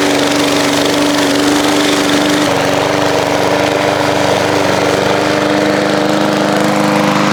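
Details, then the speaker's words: Old lawn mower after repair and fresh oil change, mowing grass: steady even drone holding pitch with no misses or surging; healthy under load. "Well, I have to say that thing mowed pretty darn good."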